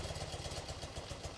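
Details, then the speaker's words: 1980-1996 BMW R-series boxer twin (R45/R65/R80/R100) idling during carburetor idle-mixture screw adjustment; loping, uneven idle as one cylinder cuts out with its idle mixture screw turned in and starved lean. "So you can see that this cylinder is like cutting out one turn or half turn I should say."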